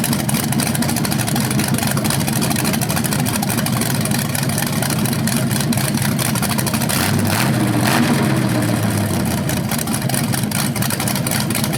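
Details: BluePrint 396 big-block crate engine for a 1970 Camaro SS, first run on the stand with headers and flywheel: loud, smooth, even burble with a brief rev swell; healthy, though a slightly different rev sound is noticed, unsure if headers or flywheel.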